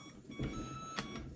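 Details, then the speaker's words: Hoverboard after a battery mod with an external battery on an XT60 adapter, while the original battery is disconnected. A clear high half-second beep sounds over faint motor hum; the owner thinks it is a low-battery warning. Warning beeping. "uh yeah so I think that beeping noise is the battery um low batte"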